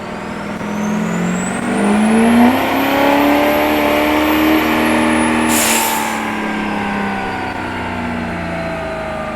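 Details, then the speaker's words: Duramax diesel Allison automatic after roughly 750–800 hp dyno pulls; revs climb under load then a hiss cuts in and the note flattens, transmission slipping despite valve body tweaks. "know what it sounds like to me it sounds like the trans is slipping"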